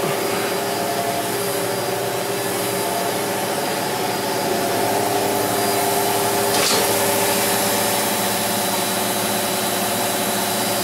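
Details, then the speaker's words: Maytag Neptune MAH5500BWW washer after motor and motor control board replacement, on a diagnostic test: steady, even whir of the drum spinning with no grinding or thumping. Normal spin. "the uh flywheel back there is turning so that's a good sign that sounds like it's really r enough"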